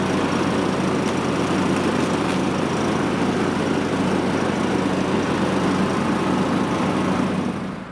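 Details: John Deere LA115 riding mower after the broken right-side deck bracket was reattached, the deck belt refitted and the deck cable reconnected: a steady, even engine drone with smooth blade whir and no knocks or belt squeal until shutdown. It runs great and the deck works.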